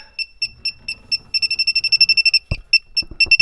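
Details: A/C refrigerant sniffer, after the expansion valve and all compressor, condenser and line connections were checked: high-pitched beeps speed from slow ticks to a rapid string near the evaporator. Refrigerant leak suspected there.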